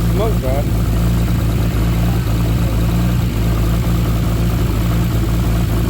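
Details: Nissan R33 Skyline with freshly built forged RB25DET, first start after engine install: lumpy uneven idle with low rumble and rough puffing; misfire, lifter tapping and a bad downpipe exhaust leak, owner hopes running in stops misfire and tapping.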